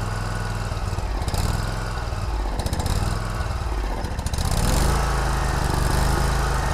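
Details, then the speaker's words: Kubota Z122R Kommander mower with ongoing fuel problems, before carburetor replacement, dies when choke pushed down: engine surges and stumbles, speed rising and sagging each second; runs rough, seems fuel-starved. "now as you can probably hear not running well at all really act like it's stalking for fuel"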